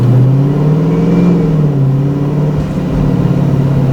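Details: Supercharged (ProCharger) Scat Pack that has been nearly stalling at stops, after a P0171 left bank lean code and tune issues: the engine settles from a light rev into a low, steady idle at the stop. Smooth and even, no stumble, did not stall this time.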